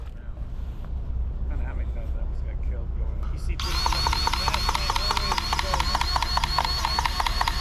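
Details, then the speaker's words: Komatsu excavator track greasing in cold weather: low rumble, then fast uneven clicking rattle from the grease gun pump, grease may not be going through; something wrong, cold suspected, not confirmed. "That doesn't sound real good though, does it, the unit? No."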